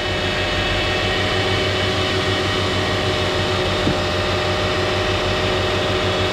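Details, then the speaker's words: Lexus RX 330 3.3-liter on a very cold morning after power steering hose replacement and air bleeding; steady, even idle with no whine, squeal or belt chirp, pump working well, normal idle. "It should be good now. Nice and quiet. All good, no noise on the belt,"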